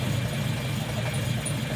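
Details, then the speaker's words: Volvo on carburetors without choke, filters on, in neutral, just started after the carbs were flooded: steady, even low idle with a smooth unbroken beat, no stumble or popping. Nice, healthy normal idle. "Too much gas was in those carbs. Well, it's a good thing we had the filters on, or she would have shot a fireball right in Roger's face. Boy, is that a nice idle or what?"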